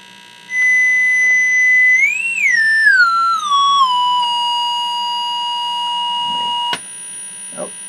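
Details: Scott tube amplifier under repair; its bias circuit had been modified by a previous owner. A pure test tone glides up, then holds a clean note with no hum, buzz or distortion: the amp passes signal normally.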